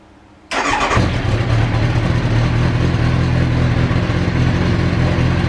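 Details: Kawasaki ZX9R E2 after a fuel filter change: starter catches after half a second and the four-cylinder settles into a steady, even run with deep exhaust, no knocks or misses; normal start.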